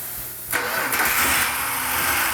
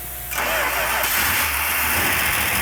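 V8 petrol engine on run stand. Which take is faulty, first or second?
first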